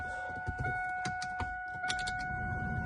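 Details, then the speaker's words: WS6 Camaro/Firebird (1993-2002) HVAC blower motor after replacement with a genuine GM unit (part 52495079): a steady, even fan hum with a faint constant tone, the normal noise with the old high-pitched squeal gone. "everything works works good. Just the normal kind of noise out of these things. But no more crazy squeal and good to go."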